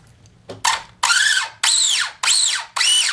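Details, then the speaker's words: RC car with tire back on and battery plugged in: five short strained spin-ups, each a high whine rising then sagging as the motor labours; pinion meshed too tightly against the spur gear, straining the motor, before the mesh is set properly. "You guys can hear it's struggling to spin. It's too tight. That's going to put a lot of strain on the motor."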